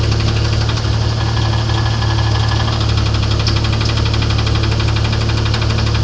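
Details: Internal engine knock on a 1994 Grand, 4-litre engine, at idle: sharp, regular metallic knock about three a second over a steady idle; deep-seated knock, source not yet pinned down.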